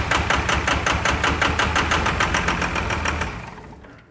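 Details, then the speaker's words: 1999 Cummins diesel with a new Thoroughbred Diesel injection pump on a frigid day, partly bled with injectors 5 and 3 spraying and number 1 not yet; uneven clatter pulsing about 160 times a minute, then dying away, with air still in the injection lines. "she did clean up just a little bit now she should start and be pretty clean here in just a second"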